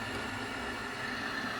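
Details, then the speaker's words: Worcester Bosch 30i erp combi boiler after clearing a blocked condensate trap that caused EA 229 ignition lockout: fan and burner now give a steady, even rush with no bubbling or washing-machine gurgle; boiler firing normally after repair. "that sounds better straight away it doesn't sound like a washing machine anymore"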